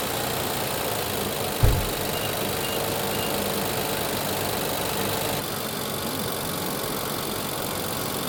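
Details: 2020 Infiniti QX60, 95,882 miles, with oil consumption and P0300/P0304 misfire codes, during cylinder deactivation testing: even, steady idle with one brief thump early on, running smoothly.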